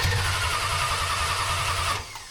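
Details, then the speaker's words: 1974 Dodge Dart Swinger old unknown small block, after it puked transmission fluid: catches and runs rough and pulsing for two seconds, then fades and dies out of gas; fuel starvation stall. "Out of gas. God dang it."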